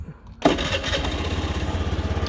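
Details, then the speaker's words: Honda Zoomer X scooter with about 21,700 on the odometer, brake-start: catches on the first press and settles into a soft, even putter with steady low pulses. Normal engine start. "เสียงเรียกได้ว่านุ่มเลยนะครับผมทำเบรคสตาร์ททีเดียวติดนะครับติดง่ายๆด้วยนะครับผม"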